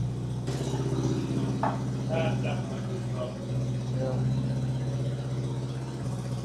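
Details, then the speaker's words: 1986 Honda Goldwing that had not been running, started after cranking to fill the carburetor bowls; it is smoky. Lumpy, uneven idle with a missing exhaust beat. One cylinder isn't getting hot, so it is running on three; a compression test follows. "two are hot. One of those that aren't hot. >> It's running on three. Yeah."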